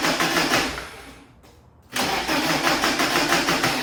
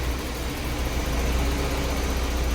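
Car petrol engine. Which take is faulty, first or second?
first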